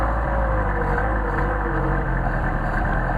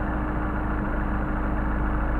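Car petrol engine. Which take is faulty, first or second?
second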